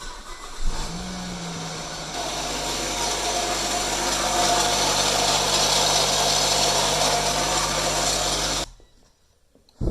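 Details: Nissan Rogue 2WD petrol engine, start: a loud, harsh metallic rattle runs over the idle, then it shuts off. Once slightly warm it won't restart and cranks as if heavily loaded; the rattle is suspected to come from the catalytic converter, not yet confirmed.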